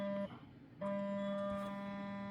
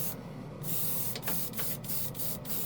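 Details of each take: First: A $40 portable air compressor rated to 40 PSI. A steady buzzing motor hum cuts out briefly, returns and keeps running without cycling off, so there is no automatic shutoff. The compressor runs continuously. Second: Portable airbrush compressor (rated up to 40 PSI) on the floor spraying primer with a small-needle airbrush: even airflow hiss between passes over steady hum, no surging, pressure not fluctuating; normal steady spraying.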